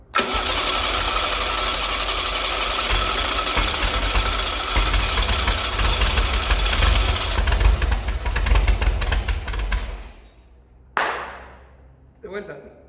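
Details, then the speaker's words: Restored Chevy SS engine's first start, carburetor bowl float level set too high so fuel overflows: catches and runs roughish about ten seconds, then dies and stutters on restart; fix is closing the fuel inlet further. "well it seems the tank level was wrong because once the pump starts to inject fuel, it is overflowing here. So I'm going to close the fuel inlet a little more."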